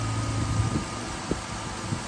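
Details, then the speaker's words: Jeep daily driver A/C recharge with an AC Pro can, engine idling: steady idle with low droning hum and light thumps as the compressor engages and loads the engine, low-side pressure up to about 30. "I can literally hear the compressor in the engine load up now we're up to 30."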